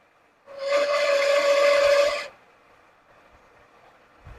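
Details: 1979 Lincoln Continental, first run after 32 years stored, during Italian tune-up: steady high squeal under two seconds over quiet idle, then drops; suspected smog pump, later confirmed with a screwdriver stethoscope. Squeal while running.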